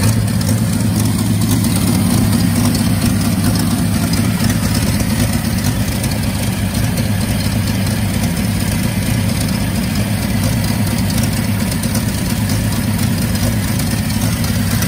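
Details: 1962 Bedford TJ truck engine just revived, with squirted-in oil now burning off as blue smoke while the rings build compression: low, uneven, lumpy idle with a loose irregular beat, running rough.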